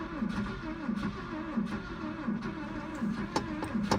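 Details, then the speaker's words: 1981 Ford Courier with a cracked block and over 320,000 miles, cranked the morning after overheating with the oil light on: an uneven, lopsided crank with only one cylinder seeming to have compression; the engine blew. "Sounds like maybe one cylinder's got compression."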